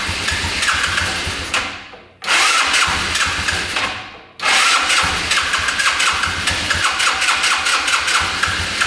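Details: Yerf-Dog Scout 4x2 UTV, sat outside for years: starter cranks in repeated bursts but never catches; no gas coming out of the fuel line, the pickup tube is broken off inside the tank.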